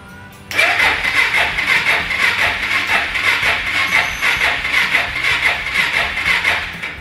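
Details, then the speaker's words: Suzuki DR650 garage find cranked on a freshly charged battery; its tank is believed to be completely dry and the carburetor likely needs cleaning. Engine turns freely with steady slow cranking pulses but never catches, and it is not locked up. Crank, no start, no fuel. "let's see if this thing will start or crank or anything else i don't think it'll start i think the tank's completely dry"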